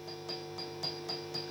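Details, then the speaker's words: Marshall JMP-50 (2204) amp with both volumes on full: gently tapping preamp tube V1 rings back as a sharp metallic ping over a low hum, while V2 and V3 are fine. V1 is microphonic and was replaced with a 7025. "I don't know if you can hear that noise that change in noise is just me touching the V1 V2 V3 fine"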